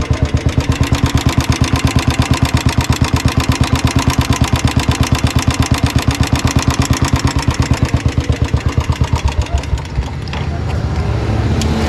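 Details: Old Royal Enfield Bullet single-cylinder running: a thump at about three beats a second with a sharp tick on each beat. Less than one litre of engine oil found, about half a litre; valvetrain ticking from low oil, oil change expected to fix it.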